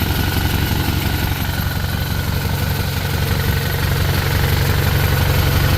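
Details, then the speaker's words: '63 Impala small-block Chevy V8 at idle: steady lumpy idle with a faint, quick, even tick at about four a second from one side; the owner believes the valve lash needs adjusting, not yet confirmed. "Um, little girl been making a ticking noise. I already know what it is. The valves need to be adjusted."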